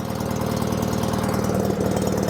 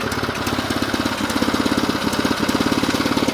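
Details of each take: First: Small single-cylinder rototiller, sat unused a season, started on second pull after adding gas: runs steady and even with a quick regular beat, no knocks or misses; healthy normal running. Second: Old project started up: rough, lopsided chuffing about three or four beats a second with an irregular beat; owners say one cylinder is really strong and another a little leaky; uneven running.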